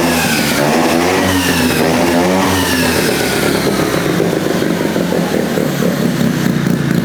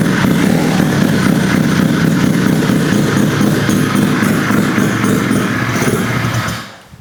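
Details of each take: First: Rotary-swapped Honda QA50 minibike, sat six months, started on third pull with choke on: crisp rotary exhaust note, revs rising and settling smoothly, no misses or rattles; running clean and healthy. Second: Rotary-swapped Honda QA50 minibike, started in three pulls after sitting six months: loud buzzy running holds steady for several seconds, then sags and dies because the fuel tap had been turned off, starving it.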